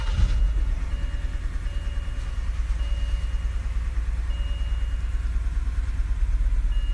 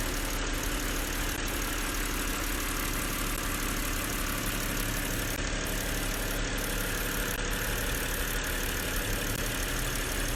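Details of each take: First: 2007 BMW 325i E90 after seven months unused and alternator replacement, idling with low, uneven lopsided stumble: misfire on cylinder 6 from failed ignition coil and spark plug; replacing them cured it. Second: 2007 BMW 325i E90 after replacing the alternator and diagnosing misfiring cylinders 3 and 4: steady, even idle, no stumbles or missed beats; all cylinders firing cleanly.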